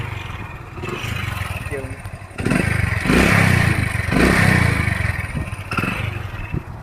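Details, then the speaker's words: Hero Honda Splendor Plus, about 2002 model, 22+ years old, kick-started in neutral: catches and settles into a steady even single-cylinder putter with chassis clatter; runs well, only gear shifting is imperfect. "பார்த்தீங்கன்னா வண்டி start ஆகிடுச்சு. இதோட sound இப்படி தான் இருக்கும்."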